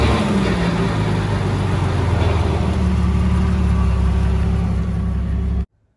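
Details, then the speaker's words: Jeep jacked up in four-wheel drive with front driveshaft connected after new U-joints: steady, rough low grinding rumble from the spinning front axle; owner suspects roasted front differential gears. "i jacked it up and with the front drive shaft connected i put it in for four-wheel to get the front spinning and yeah you can just hear it grinding away so"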